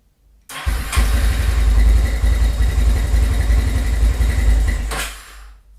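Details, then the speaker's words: GL100 built with a 250cc engine and recorded in a small studio. It fires at once and pulls a strong, steady rev with no knocks or rattles, then drops back cleanly; it is running healthy. "Suaranya ya, suara mesinnya seperti ini."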